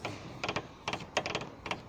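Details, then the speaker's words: Chevrolet Meriva front suspension with the sway bar link worked back and forth by hand: dry, short creaking clicks in small bursts from a stiff, worn link ball joint. It sounds much like a worn strut mount bearing. "já escuta que ele rígido né ele estralando parecido com os rolamento do coxim do amortecedor lá de cima os barulho quase parecida"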